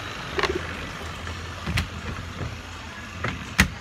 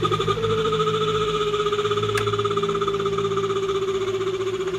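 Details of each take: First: Mabe twin-tub washing machine on spin after greasing the squealing part: steady low hum of the spin drum running smoothly, no squeal, only a few small knocks. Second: Mabe twin-tub washing machine on spin: steady high squeal over the motor hum, slowly dropping in pitch, sometimes louder; the part is running dry and wearing, fixed by greasing.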